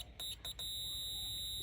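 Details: Tascam 302 double cassette deck with buzzing fault, multimeter testing the fuse resistors F1–F3: a couple of short beeps then a steady high-pitched tone; the meter reads continuity through the part.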